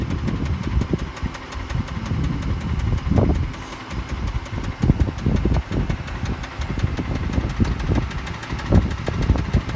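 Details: Mitsubishi 6G72 engine at idle. Uneven sharp knocks, sometimes bunching, over a steady idle; the knock is not the hydraulic tensioner, and the cause is unknown until teardown.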